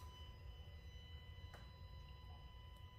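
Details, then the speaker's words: New Tesla Model X Plaid parked in the garage; steady high-pitched electrical buzz at several fixed pitches plus a faint click; the buzz goes away after turning off Sentry mode and waiting about an hour, but returns when the car turns on. "so temporary fix to get rid of this noise is turn off the Sentry mode at least when the car is parked in the garage and wait for an R it goes away but the moment the car comes turns on that's the constant noise"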